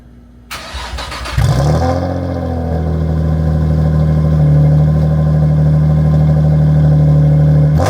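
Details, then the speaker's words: Nissan 350Z, first startup on a cheap Marketplace exhaust with damaged tips: short crank, then a deep, steady, loud drone rising slightly. The engine idles normally, but the exhaust is too loud. "I don't think it sounds better, so I think I'm going to be looking for new exhaust. Tips are screwed up. It sounds too loud for my liking, but I like the wheels on it, and it just needs to be cleaned now."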